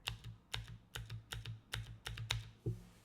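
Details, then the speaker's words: Keychron keyboard spacebar after applying nano tape to fix a hollow, tingy spacebar: about seven crisp, even keystrokes in three seconds with a dull low thock and no ringing tail; spacebar now sounds solid and normal. "Oh, that's much better."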